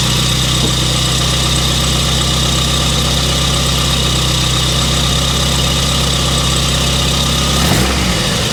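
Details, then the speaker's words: Mazda Miata engine at idle with valve train clatter and clack, worse after sitting for a long time and somewhat better after a drive; Rislone Oil Treatment to be added to quiet it; steady fast ticking over engine hum. "And that clatter and clack and stuff, I started this thing up yesterday after having it sat for quite a while, and it was a lot worse."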